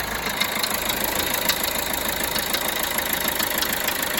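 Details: Peugeot Bipper Tepee 1.3 HDi (JTD) diesel at idle: an irregular light ticking knock, about three per second, over a thin clatter; the engine noise source is unclear.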